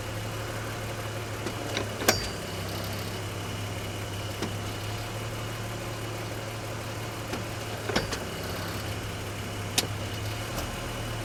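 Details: BMW X5 E53, 108k miles, shifting from P to D to R: sharp metallic pings and clunks over the idle as the transmission engages, reverse otherwise works fine; a forum member suggested a bad guibo joint.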